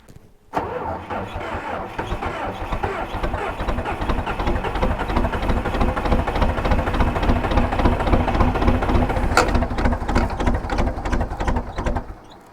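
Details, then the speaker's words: 1980s bulldozer diesel without glow plugs, cold start at 52°F: turns over, catches roughly, then settles into an uneven, heavy clatter at idle; reluctant cold start. "she is not happy about starting in the cool weather and it's a Brisk 52 degrees today so yeah it's not going to be excited about starting"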